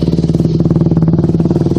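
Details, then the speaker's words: Yamaha YZ250F, sat two years, running after a carburetor cleaning: a crisp, even single-cylinder fast idle with no misses and no smoke now, after smoking at first start to burn off excess. Normal idle. "cleaning carburetor yesterday got it on today bikes running not smoking or anything"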